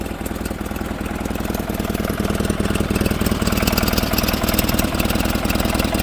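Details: 1947 Farmall Cub warming up and revved a bit, with the main fuel valve adjusted against flooding. Uneven chuffing beat at about four per second with a stumble as a cylinder drops out; misfire from a stuck valve beside the intake manifold on the right side.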